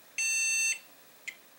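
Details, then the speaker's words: Core 2 Duo PC; one long shrill beep then short chirp, board beeps and shuts off, failing board. "three beeps one two three and it shuts off"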